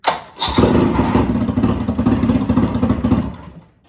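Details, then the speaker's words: Mercury 25 hp outboard on a restored 1986 Bass Tracker, started with a new battery: quick crank, then it catches and runs with a fast, even burble before shutting down; a strong, healthy start. "I tell you what, it's like a big block, but it's not. But you know what I'm saying. It may only be a 25 horse, but it thinks it's a 250."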